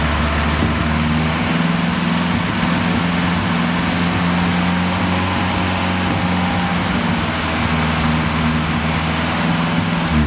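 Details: BMW 2002 idling: steady low idle with an uneven, lumpy pulse and slight wavering in the engine note; rough idle, cause not yet found.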